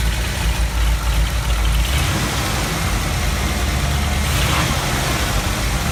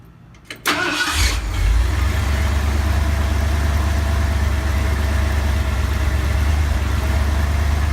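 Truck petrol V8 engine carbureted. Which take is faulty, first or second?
second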